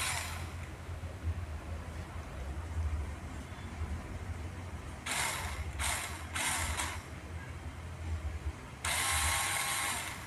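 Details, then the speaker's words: RC Rock Crawler with a no forward/reverse fault; after motor replacement, a battery test checks whether the wheels bind or spin freely, and it is judged normal. Short, smooth, high-pitched whir bursts with no grinding or skipping. Normal motor and gearbox running. "kita cek putaran rodanya macet atau nggak kalau macet Berarti dinamonya kurang pas kalau ini sudah normal"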